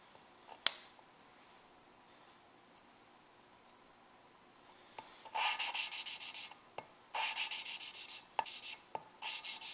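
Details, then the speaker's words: Suzuki Sidekick cylinder head rebuild, lapping a new valve with fine grinding compound: rhythmic gritty rubbing strokes that start louder and ease off; lapping continues until each stroke starts quiet, when the valve is seated. "listen when I start that there's no change in the sound that tells me it's done okay so this one's done"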